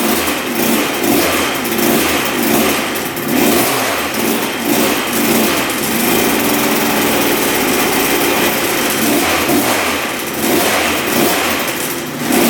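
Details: 1986 Yamaha YZ125 two-stroke barn-find dirt bike, previously bogging with no power, after fix: fired right up, crisp buzz rising and falling cleanly with throttle, no bog or stumble, not smoking excessively; normal running.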